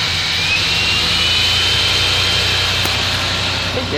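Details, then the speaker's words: Fuel-injected gasoline Suburban just started after sitting: loud, high, steady roar well above idle with squeal from the alternator belt; racing idle, owner suspects sticking throttle, unconfirmed. "throtle is a little sticky on it h i pretty sure the throttle's sticking that's why it was racing"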